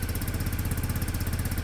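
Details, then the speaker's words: Peugeot Satelis scooter (barn find) after immobiliser fix: steady, even single-cylinder idle with a smooth low throb and no knocks or misses; it sounds healthy but won't rev yet, possibly still warming up on the automatic choke. "a try sounds great"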